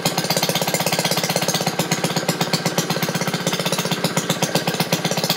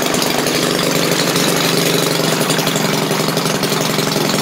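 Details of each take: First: Maytag washing machine's small single-cylinder engine after shutting off the agitator: quick, even popping about four beats a second with no misses or knocks. Healthy, running unloaded. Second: Maytag washing machine single-cylinder engine restarted, popping steadily but slowly at about four beats a second; owner thinks carburetor needs adjusting.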